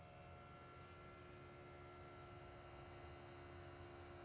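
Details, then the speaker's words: Square body truck sitting over a decade: electric fuel pump wired straight to the battery terminals, running with a quiet, steady hum and faint whir, no leaks. "Just going to stab the pump right in the battery terminals."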